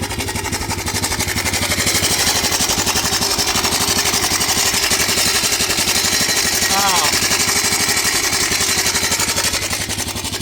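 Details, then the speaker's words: 2008 Honda Recon that sat abandoned 15+ years, first cold start on choke: fast, even clatter about four beats a second, with a hard metallic rattle over the idle; timing chain tensioner noise. "I don't know what that noise is, either. I don't know if something's dragging or"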